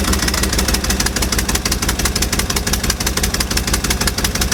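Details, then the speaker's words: 1955 Chevy truck with dump bed, unrun for 23 years, started after fuel poured down the carburetor bowls: deep, even V8 idle with steady firing pulses, no misses or knocks; carburetor and fuel pump work fine. Normal idle. "Oh, sounds good. Look at those car thing. Sounds awesome."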